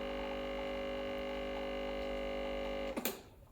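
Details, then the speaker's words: Breville Barista Express BES870, about nine months old, little used, after storage: steady even pump hum at one pitch for three seconds, no rattle or surging, during a roughly 18-second shot; smooth flow, normal pump operation. "as you saw it the flow the flow is nice and smooth and uh i'm i'm quite happy with it"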